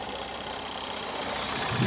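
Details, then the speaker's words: Honda Unicorn 150 in neutral after repair of a "dak dak" idling and clutch-bell noise: single-cylinder idle is even, with light mechanical patter and no heavy knock; the earlier noise is gone. "दोस्तों आवाज पुरी तरह से खत्म हो चुकी है ये देखिए दोस्तों पूरा आवाज इसका चला गया है"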